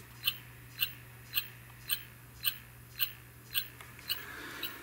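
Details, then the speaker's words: Neotec 2515C 25" arcade monitor chassis, "no picture" repair, original power supply chip replaced with a socket, powered up to set B+ (believed 117 V): sharp chirps about twice a second over low steady hum; switch-mode supply faulting, shut off. "something is still wrong let's turn it off before something bad happens"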